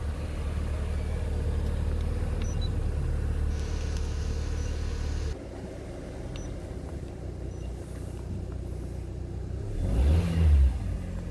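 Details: LPG taxi with a leaking injector, after a late start, fuel rail pressure about 6.6 to 7 bar: low, even idle rumble with no misfire, knock or stumble; runs smoothly. Normal idle.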